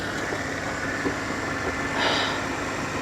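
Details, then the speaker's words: Pontiac G8 GT V8 at idle, hood open: soft, steady idle with an even rhythm and no knocks or misses; normal healthy V8 idle. "uh I was wrong I was very wrong that is the V8"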